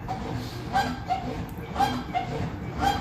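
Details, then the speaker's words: Brastemp washing machine during agitation: squawking "chicken" chirp about once a second, rising and falling with each agitator stroke; dry gears suspected, needing lubrication or replacement. "isso aí que que acontece as engrenagens dela tá seca entendeu Aí tem que lubrificar as engrenagem dela"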